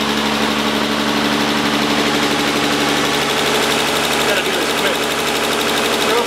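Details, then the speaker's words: Nissan 300ZX after twin-turbo swap, first start: steady even idle, smooth hum, lifter tick gone immediately, no top-end ticking; healthy. "It's running, dude. It sounds beautiful. All the lifter tick is gone, like immediately, and all that stuff."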